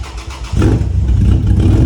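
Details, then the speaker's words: Lexus IS300 after engine swap, donor engine's ECU fitted to avoid immobilizer, no exhaust yet: catches after a moment and settles into a loud, even, deep idle with no misses and no check engine light. "sounds like shit because we still have no exhaust, but dude, it's idling."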